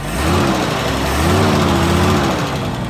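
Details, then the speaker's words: 1976 Jeep DJ5D postal Jeep, running and leaking some oil and smoking, good oil pressure: a light rev blips up and settles back cleanly with no knock or stumble, sounding healthy. "I'm gonna give her a little rev here. Wow, she sounds good."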